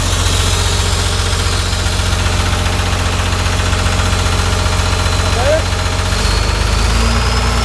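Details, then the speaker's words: John Deere 850J dozer diesel after a second rebuild, first start: even, steady chug at low idle with regular firing, no knocking or ticking, and good oil pressure. "all right try again it sounds better I can hear it already got a good oil pressure"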